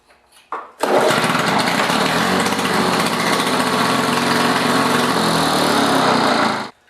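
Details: 2-cycle Lawn-Boy lawn mower started in a garage after pull cord replacement and recoil spring tightening; fires up and settles into even steady buzz with no misfires or knocks, running normally.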